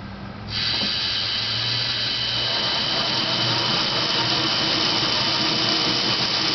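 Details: Dodge Daytona EV with a NetGain WarP 9 motor, car on jack stands, revved to about 500–1000 rpm in neutral with and without the clutch, then in first gear: a harsh steady grind over the whine, suspected to come from the motor, cause unconfirmed.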